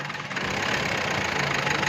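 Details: Tata Yoddha BS4 diesel at idle: a harsh, rapid clattering knock over a thin, bright engine note, with injectors and service hinted at. Cause suspected, not confirmed.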